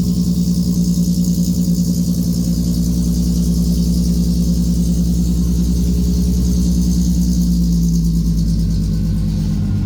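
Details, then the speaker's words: VW Mk1 Rabbit track car with 3.6 VR6 swap, sat all summer, after cold start in neutral: deep even pulsing hum holding steady high idle, no ticks; healthy cold start idle. "let's get a cold start on this thing this thing has a nasty cold start with the 3.6"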